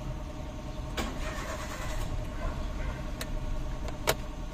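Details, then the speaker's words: Hyundai Eon 3-cylinder petrol, hard start with no fault codes: starter grinds on at a steady crank without quick catch, long crank before starting; fuel pump to be checked next. "Matagal matagal umandar."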